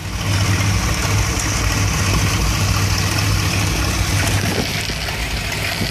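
Warm V8 idle with an uneven, lumpy low beat and stumbling pulses instead of a smooth rumble; rough idle, cause undetermined.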